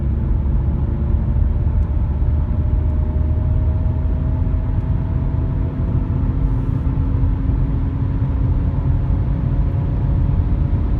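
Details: Audi A5 B8 front right wheel bearing, before replacement, while driving: deep steady droning rumble with faint hum under road noise; worn front wheel bearing.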